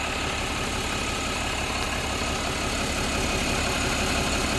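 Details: Diesel truck idling after 5 minutes following the bottom radiator hose refit and coolant refill. Even clatter at a steady idle with no misses, knocks or hiss; no leaks, clamp and hose holding, running sound.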